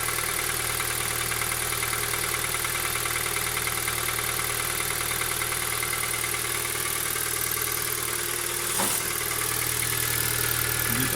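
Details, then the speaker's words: 2017 Kia Ceed, 1.6 petrol, 27,494 km, under warranty, cold start, hood open. Even idle with a faint quick metallic knock from the engine; the cause is not found. The dealer would not replace it until something breaks. "Значит, есть специфический стук. Двигателя."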